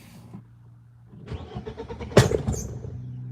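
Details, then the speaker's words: BMW E36 M42 on Microsquirt standalone ECU, restart after high 2,500 rpm idle: starter churns a few uneven beats, then one sharp backfire pop as it catches and stumbles; owner suspects too much gas, running rich. "I gotta see about that backfire. Like that's an issue. That is like a real issue."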